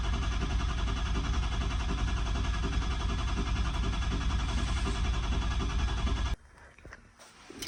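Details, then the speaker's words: Ford 6.0 diesel, cold crank first time after IPR valve and oil rail removal leaving air in the high-pressure oil system: even starter chug about 3.5 beats a second for six seconds without firing; extended crank. "So like I said, I had the IPR off, and I took out the oil rail system, so you know I had a lot of air in the system. But this is a cold start right here, first time after everything."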